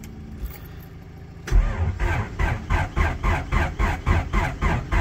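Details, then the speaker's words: Mini with a Honda B16 VTEC engine, after steering column rebuild: the starter churns in even pulses but the engine won't fire because the battery is flat; the fuel pump is working. "Right, I'm going to let the battery charge a little bit because obviously it doesn't have enough juice to start the car."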